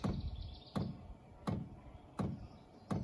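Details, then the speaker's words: Chinese diesel air heater at first start, temperature just turned up, powered from a portable power station: soft even taps about every 0.7 seconds over quiet background; normal dosing fuel pump ticking while priming. "you can hear that fuel pump knocking a little bit getting everything primed up for the fuel pump"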